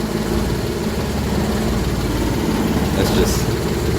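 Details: Daihatsu HiJet S83P mini truck engine, cold, with inoperative choke (left open) awaiting parts, after valve adjustment, timing set and plug check: low lumpy uneven idle, no smoothing out, no valve tick.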